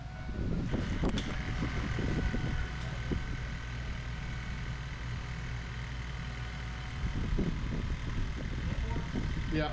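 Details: Ford 7.3 Powerstroke diesel, first start after new KC turbo, MBRP exhaust, up pipes, plenums, oil crossover and fuel bowl reseal: deep rumble settling into a steady idle, no knocking or standout turbo whistle. Normal running.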